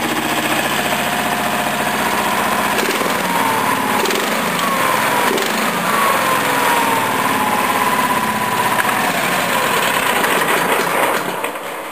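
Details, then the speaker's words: Briggs & Stratton 14 hp OHV V-twin tractor engine, already running fine, test start: steady, even idle with a smooth low beat, no knocks or misses; running healthy. "Right, this is the Honda 13 horse overhead valve running perfect now. And this was running perfect anyway, but I do a start anyway."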